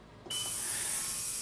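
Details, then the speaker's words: Ultrasonic cleaner degassing six minutes with soapy water near 57 °C for bicycle chain cleaning: steady, piercing high whine with no wavering; normal operation. "this apparently makes the cleaning of the fluid better and you're gonna hear what I mean by the annoying high-pitched whine I'll turn it on"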